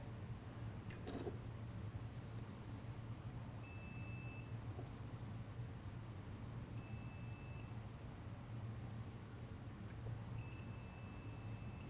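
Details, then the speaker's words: BMW R80/R100S airhead diode board, continuity tester on the reverse-side diodes with hands swapped: three steady high beeps about a second each over a quiet hum; current flows one way only, so the diodes and board work. "okay so the currents flowing through on those three"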